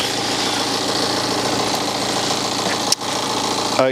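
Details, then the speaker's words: BMW 318d N47 diesel, cold start: busy metallic clatter over the idle, a rattle on startup with a loose engine cover and a pulley squeak, probably alternator; timing chain rattle suspected, not confirmed. "so there definitely is some kind of rattle on startup."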